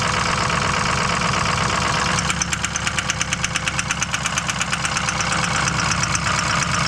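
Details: Powerstroke diesel just reassembled, driving under boost: steady idle then hard regular knock about three per second over the engine; cause unknown.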